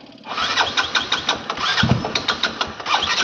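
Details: Motorcycle cranking in repeated bursts about five a second with no catch, turning but never firing; petrol not filled for three days, possibly out of fuel, and a weak battery is suspected; cause unconfirmed.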